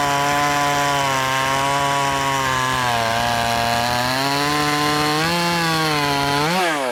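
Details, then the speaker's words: Brand-new, unbroken-in Wemars 6220 clone chainsaw, carb leaned slightly from very rich factory setting: strong, loud, steady high-revving buzz holding under the cut and climbing as it frees up; clean, healthy saw under load. "It sounds good. It also sounds loud. And I guess what I mean by it sounds good, it sounds like it's going to be powerful."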